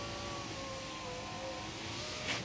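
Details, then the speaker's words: 2001 Volvo S60 2.3 driver's window after replacing the window regulator sliding blocks (window had been falling); steady, even motor whir through full travel with no popping or clunks; regulator works normally. "now the window goes up and down without any popping noise without any restrictions"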